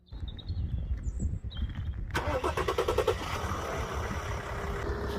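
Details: 2003 Mercedes E320 CDI wagon, inline-six diesel, 204 hp: brief crank, catches at once and settles into steady even diesel clatter at idle; healthy start.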